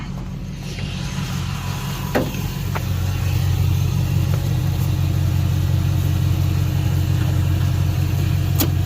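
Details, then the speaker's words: Sweptline truck V8 with a vacuum-secondary Holley carburetor, started after the carb repair: steady fast idle that stays up without throttle, because the throttle return spring was left unhooked; reconnecting it fixed the idle. "Oh, that's what I forgot. Got to hook back up the return spring."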